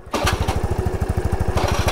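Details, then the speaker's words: Scooter idling: a rapid, even low thumping with a harsh rattly edge coming from the engine; owner fears the engine is seizing, cause unclear. "देखो भाई engine से आ रही है आवा। ये क्या scene है यार? इंजन तो नहीं सीज होने वाला।"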